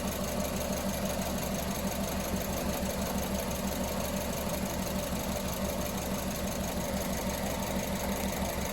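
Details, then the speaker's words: Engine at idle with the number 1 injector connector pulled off while a secondary ignition trace is watched: uneven cadence with a beat dropping out over the steady drone, a single-cylinder misfire from the lean, dead cylinder. "So let me make an alteration here. You'll hear a misfire transpire, and see if you can see a change in the trace. You'll hear it right away on the cadence of the engine here. You'll hear it miss a beat."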